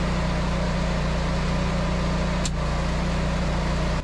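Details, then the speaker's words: Generac 24kW standby generator running steady with a deep, even drone, no surging or knocking, carrying house and shop load including a wide belt sander drawing a sustained 30 amps with about 50 amp startup. "so both the house and Shop are on generator power now to really give it a test I went over to my wood shop and I ran some boards through the wide belt sander it can use a sustained 30 amps and its startup amperage is like 50 amps and the generator did just fine"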